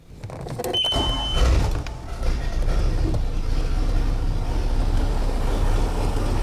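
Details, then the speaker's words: Boat engine started with Spanarci ZETA 2000 jump starter, battery not fully dead so no boost needed: short crank, catches at once, settles into even low rumble with no stumbling; normal start. "so I don't need to use the Boost to get this going so let's go ahead and fire the boat up"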